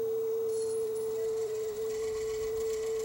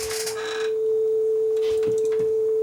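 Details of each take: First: Sony TC-W32 dual cassette deck, about 40 years old, transport complaint: with the belt off, the steady test tone still wavers and sags in pitch. Flutter traced to a visibly wobbling, out-of-true capstan flywheel; bent capstan or bad pinch roller were also considered. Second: Sony TC-W32 dual cassette deck, about 40 years old, after belt work: the B side plays a steady test tone holding pitch without audible wobble, low flutter. It is about as good as this low-end deck will get, though the flywheel was seen wobbling.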